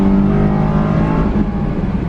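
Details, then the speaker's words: Low-mileage Honda S2000 accelerating hard in second gear; strong, smooth rising engine note with clear intake roar and quiet exhaust, pulls cleanly and sounds healthy. "I'll do a second gear here, that way I'm not doing crazy speeds down here and getting into trouble. You can, so you can hear it now."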